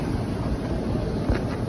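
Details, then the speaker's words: 2001 Chevy Suburban after alternator replacement, charging at a little over 14 volts: steady, even low engine drone under some wind hiss, no knocks or squeals; running normally and much quieter than before. "Much better. She was running a lot funkier than this, trust me. Shut right off. And she's much quieter."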